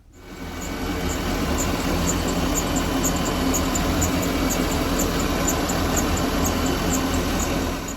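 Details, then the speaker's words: Volvo Penta 5.7 GSi inboard/outboard boat engine running steadily with rhythmic high-pitched "shika shika" chirping, three or four a second; serpentine belt or accessory pulley squeal that persisted through hour-long rides, so not just moisture. "So I've had my boat out a few times this year, and every time I've taken it out, I've noticed a belt squeal sound. It's sort of a shika shika sound."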